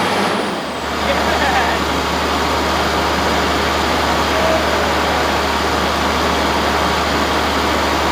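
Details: 1965 Allis Chalmers TL645 loader, turbo 6-cylinder AC 3500 diesel, first start after 10+ years with a cleaned Stanadyne injection pump: catches after cranking and settles into a steady, even clatter with no misses.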